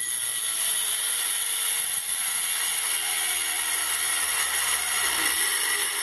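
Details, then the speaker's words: Banggood 220V 72W micro rotary tool at maximum speed with an oversized 75 mm cutting disk: high steady whine and cutting hiss holding pitch without bogging; normal cutting under load, cut through reasonably thick stock, motor stayed cold. "well actually cut through it I'm surprised it actually did"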